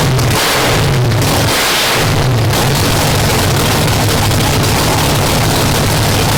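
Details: 959 cubic inch nitrous drag race engine after new rods: loud, steady deep rumble with a firm, even beat and no knocking or rattles, partly masked by music; runs healthy, judged ready for the track.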